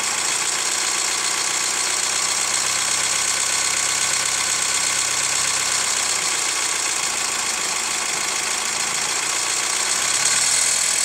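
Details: Hyundai ix35 CRDi 136 hp diesel, hot after a drive: idle with light irregular metallic tapping that turns sharper and more ringing with a touch of throttle; dealer replaced chain tensioner 1.5 years ago, lifters or tensioner suspected; hot engine knock, origin unknown.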